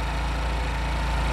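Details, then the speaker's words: Honda Wave S110 motorbike that kept revving briefly after the throttle was released; a single screw around the carburetor was found as the cause. After the repair, a low, steady, round idle with no misses. Normal idle. "nổ thì dịch rất là tròn tiếng đúng không ạ lại chỉ vì một cái con ốc nó gây ra các hiện tượng"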